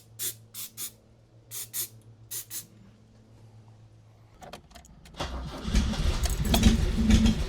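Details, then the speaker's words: Wrecked 1974 Alfa Romeo GTV 2000, built 2.0L with dual Dellorto carbs, long sitting, good compression, cranked on starting fluid: clicks, then starter cranks and engine coughs, catching roughly without settling; owner suspects old fuel turned to gunk. "Oh, it runs! So it turns over, which is huge, and it was trying to run."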